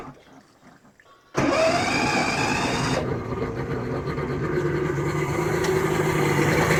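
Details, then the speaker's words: 1986 Mercury 90hp two-stroke outboard after water pump replacement, exhaust submerged in a tub: starts and settles into an even, muffled burble, pump picks up water on its own; normal running. "That is so much quieter. Holy smokes. Pick up some water. There it goes."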